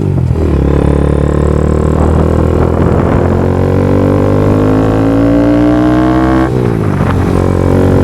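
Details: Honda Grom after a DHM S1 camshaft was installed and valve clearances adjusted: steady single-cylinder thrum with a smooth rise in revs that drops back cleanly, even firing and no knocks; normal running.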